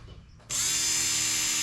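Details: 1987 Acura Integra with K24A2 engine and 6-speed manual swap, first fuel pump test on newly fused power, key on: quiet, then sudden steady high-pitched electric whir holding even, fuel pump priming normally, no leaks seen.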